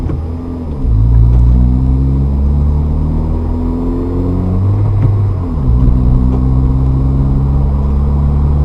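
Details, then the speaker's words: Manual car upshift with gas pressed too early, at the bite point before the clutch engages. Engine revs climb sharply twice without pulling the car, so the clutch is slipping, which unnecessarily wears it out. "okay you can hear the car kind of rev up when the clutch is not engaged that's not what you want to do because that time you're wearing out the clutch so don't do that"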